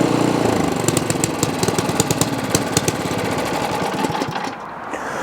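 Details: Ariens Path Pro 208cc single-stage 4-cycle snow blower, fired up with key on and primed: steady fast patter with no hunting or surging, settling evenly as it warms; healthy idle.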